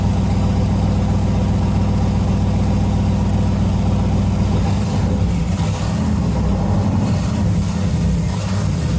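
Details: Turbocharged LS V8 in a Jeep YJ after the build: deep, loud idle holding a steady, even beat without knocks or misfires; normal idle.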